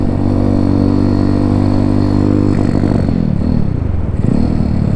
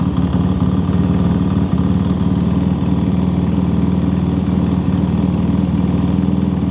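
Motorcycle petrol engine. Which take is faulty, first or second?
first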